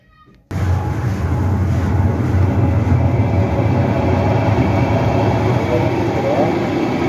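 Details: Olimpia washing machine that would not start, after fitting a new run capacitor: steady, even low hum with no knocking, grinding or stalling; motor starts and runs normally.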